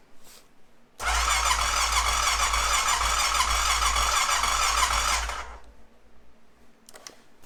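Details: 2005 Honda TRX650 Rincon, 650cc single-cylinder carbureted four-stroke, restart on half choke after it ran about 30 seconds and died: steady cranking for about four seconds that never catches. Fuel starvation from a stuck carburetor float valve.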